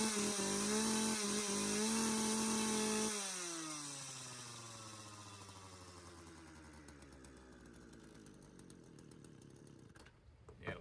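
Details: Craftsman chainsaw left outside for years, revived, choke off: steady buzzing idle for about three seconds, then sags and dies; idle speed set too low.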